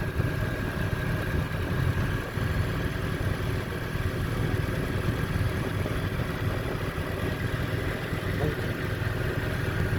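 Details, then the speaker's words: Petrol car after rough idle fix, rpm previously high around 1800 now stable at 950: low even idle, steady hum, no surging or misses; normal idle. "कि यह question भी engine बिल्कुल अपनी जगह पर आ गया बिलकुल स्मूद सॉफ्ट खड़ा हो गया"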